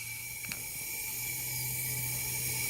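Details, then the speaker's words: 2014 Honda CRF250L that won't start, low compression, leak-down test at top dead center: steady hiss of escaping air with faint high whistle under shop air pressure; air leaking past worn piston rings, though oil in cylinder didn't raise compression. "so we're at tap dead center during the leak down test and check this out can you hear that air coming through here so that means rings are letting air go by"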